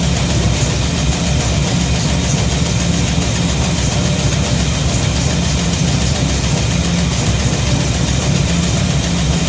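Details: Shop truck holds a deep, even idle with no misses, stumbles or knocks after a fuel system overhaul (fuel pump, regulator, filters, intake gasket, carb spacer; 3.5 psi fuel pressure); no gas or water leaks.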